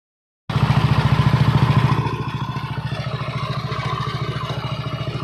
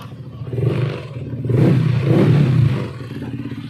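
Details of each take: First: Yamaha NMAX version 1 scooter engine, dirty and sand-filled: steady knock and tick that grows louder with revs, the "helicopter" sound, traced to a worn camshaft bearing. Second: Yamaha NMAX v1 scooter revved in short blips after repair of camshaft bearing: smooth, the former "helicopter" rattle and knocking gone; normal engine running.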